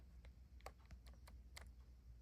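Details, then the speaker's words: Toy ride-on vehicle gearbox: light, irregular clicks of about three per second as the wheel is turned by hand, with no rubbing against the housing, so the gearbox was reassembled correctly and the clicking is normal. "but if it doesn't touch it and you just hear a clicking sound like this and right here"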